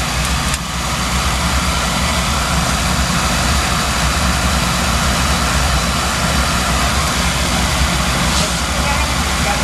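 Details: Dunkirk oil-fired boiler with Beckett oil burner on a no-heat call; carbon on the head was found as the problem and it is working fine now. Even, steady low roar with no pulsing, surging or rumble changes; normal oil burner operation.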